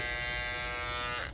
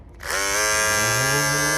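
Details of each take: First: Andis GTX EXO T-edger clipper after replacing the broken blade bracket: clean steady high buzz, even pitch, no rattle or chatter, then off; gap gone, blade seated, running smooth. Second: Andis GTX EXO T-edger trimmer after replacing the broken blade bracket clip: motor spins up to a steady high buzz that holds even, but the blade set shows a gap, sitting too loose and misaligned.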